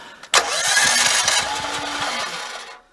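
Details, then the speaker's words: Generator, oil and gas good, battery at 12.66 V (has started before on 12.1 V): quick steady cranking pulses under a harsh hiss, then it stops without ever catching. Cranks, won't start. "Okay, oil good. Battery good. Gas good. We'll try it again. It does not want to start."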